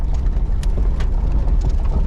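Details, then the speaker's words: 1977 Oldsmobile 98 Regency driven over parking-lot bumps: low rolling rumble with only soft thuds, no creaks, squeaks or clunks; suspension quiet and healthy, rides smooth. "you see how this thing handles over to bumps and stuff I mean it's not all creaky and noisy listen to that yeah 77 she's still riding like a cloud over the"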